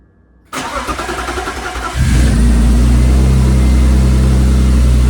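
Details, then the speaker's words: BMW E36 after replacing sensors and reinstalling the Vanos unit and its oil feed line: brief crank, steady even idle with firm hum, no knocks, slight ticking possibly normal engine noise, no oil leaks; normal start. "So sounds like the air box is working, fan's working. I hear a slight ticking, but that just might be the engine working."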